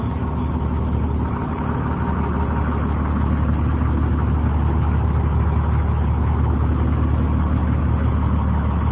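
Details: 2003 Blue Bird 26-foot short school bus camper, International diesel engine, automatic transmission, listed 200,000: low even diesel clatter steady for nine seconds with no misses or knocks; normal idle.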